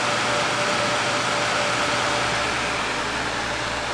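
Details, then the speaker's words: Two Gainward GTX 580 Phantom 3GB cards in SLI, fans at 100%, top card 84°C, 32°C room; steady airy rush with even high whine held constant, fans running flat out and healthy. "but here we go fan speed at 100% just give it a minute to spin"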